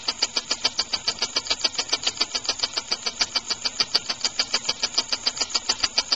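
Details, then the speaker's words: Homemade rotary-valve compressed-air engine at full throttle, about 25 psi maximum: crisp, even clicks about 3.5 per second over a light hiss; slow, steady, healthy run. "Nice and slow. I like that."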